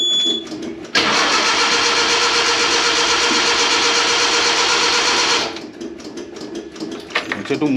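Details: Premier 118 NE car that sat unused a long time: about four seconds of steady fast even cranking with a hissy edge, then drops away without firing; cranks, no start.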